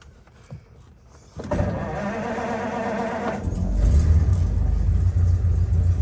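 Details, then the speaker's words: Original 1934 Ford roadster, flathead engine with overdrive, an older, well-kept restoration being checked over before the summer season: starter whirs briefly, then it catches cleanly into a deep, steady, even idle with no knocks or misses; healthy. "So, okay, let's see if I can get in here and start it up for you so you can listen to a fantastic flathead."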